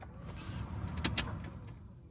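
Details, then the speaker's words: 2002–2008 Dodge Ram diesel truck, key on, after new blower motor installation: a steady low rush of air through the fan speeds with a couple of switch clicks. Strong airflow and no squeal. "There's absolutely no one, two, three, four. And that thing is putting out a lot of air. And there's no Tweety Bird squeal."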